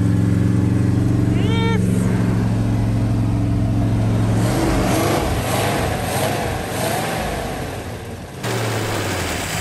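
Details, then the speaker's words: Plymouth Fury that sat for five years, first start after adding fuel, possible dry fuel pump diaphragm and bad gas: steady low rumble settling into an even idle with a brief rev blip; now runs and idles normally. "she's running backed into the bamboo she's running oh my gosh and she's idling"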